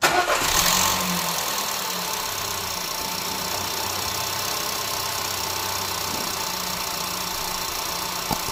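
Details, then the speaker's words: 2010 Audi A3 Cabrio 1.2 TFSI (CBZ), 99,640 km, on its first start after a second timing chain replacement, chain pre-oiled, battery weak. It catches quickly and idles evenly, mic on the engine, with no chain rattle: it runs like clockwork. "a także Silnik chodzi jak zegarek w autobusie troszkę pochodzić wszędzie musi napompować sobie oleju nie wiadomo tam wszystko suche"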